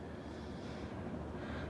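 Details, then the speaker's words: Fasco Charleston 52" third-generation ceiling fan (1988 per description) at full speed, with a slight warm-up sound when turned up: an even airy whoosh. The bearings are in good shape and almost silent. "it's got a bit of a warm-up sound there when you crank it the full-tilt get something flies pretty well bearings on the freighter pretty good shape too so they hardly make any noise of anything"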